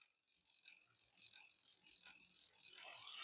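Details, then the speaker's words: Bicycle rear derailleur being adjusted while pedals turn: quiet irregular light ticking and rattling chain noise from a misadjusted limit screw, removed by turning the screw in increments. "So, we're going to adjust that as we're turning. Do you hear that noise? We want to get rid of that noise."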